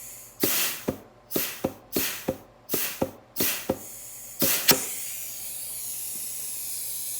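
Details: GM 4L60E rebuild, forward input drum air check at about 40 psi: sharp air hiss blasts, about eight in four seconds, then steady blow; clutch applies cleanly, normal.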